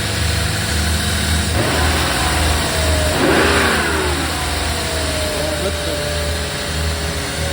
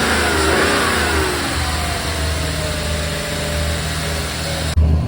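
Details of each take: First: 1995 BMW 540i E34 V8 after engine refresh (new seals, spark plugs, valve covers, gaskets, valley pan), Seafoam sprayed in: steady idle with clean rev, no knocks or misses; runs nicely but idles high, owner suspects throttle position sensor mix-up. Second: 1995 BMW 540i E34 V8 after engine refresh with new seals, valve covers, valley pan and Seafoam: revs then hangs at a fast steady idle; owner suspects he swapped the throttle position sensor connectors.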